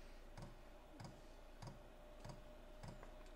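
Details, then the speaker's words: Cheap Chinese diesel heater burning kerosene, run on two Ryobi batteries after sitting 6 months, in a closed garage: sharp regular fuel-pump ticks about a hundred a minute over a faint hum as it primes before ignition; normal. "oh there we go you guys hear that it's pumping fuel little fuel pump"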